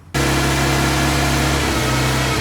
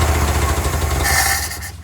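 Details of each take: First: Old Toyota forklift engine, sat over 10 years; a fast, steady idle steps down in pitch in stages as the idle is turned down; the idle may have been set too high, which the owner thinks kept it from going into gear. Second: Old Toyota forklift that had sat for over 10 years, started on gas with a good battery; the engine catches and runs with a steady low throb, then eases off near the end, starting cleanly after long storage.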